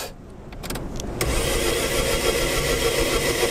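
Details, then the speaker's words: Opel Corsa test car after running on injected extra oxygen: quick, even cranking whir lacking the normal chugging compression beats, then a rough catch; engine has lost much compression, likely damaged piston rings, and keeps stalling. "because we didn't have enough compression that's what we said Compression? Compression.. you could hear it while cranking"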